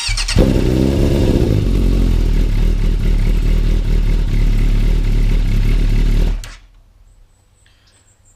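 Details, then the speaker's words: Yamaha YZF600 Thundercat, tuned to 115 bhp on a Dynojet rolling road, cold started with choke on and clutch in to warm up: catches and settles to a fast even high idle, no knocks or rattles; normal cold start. "Once warm, you can hear the choke coming in there because it smothers the air. It really does sound nice, and it does go very well."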